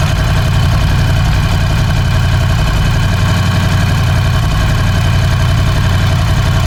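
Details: Ducati Scrambler 1100 at idle after replacing the horizontal cylinder and piston: deep, loping V-twin idle with a dull, uneven knock roughly twice a second; suspected piston slap, not confirmed.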